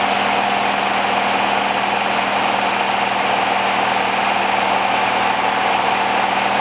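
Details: 1969 Rover P6 Series 1 3500 V8 automatic, first start after 16 years stored, on choke, fuel pump suspected dead: steady, even idle with a smooth, unbroken drone and no ticking or rattle from the top end; quiet, tight, healthy engine.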